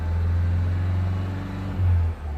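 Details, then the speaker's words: 2015 Vauxhall Vivaro 1.6 CDTi diesel that cuts out sharply at about 2500 rpm cold and about 3000 rpm hot, stationary or driving. A steady deep drone climbs near 3000 rpm, then abruptly falls away. Live data shows nothing; ECU-commanded shutoff suspected. "It nearly looks like it's the engine ECU that is actually saying at these RPMs I'm gonna go off."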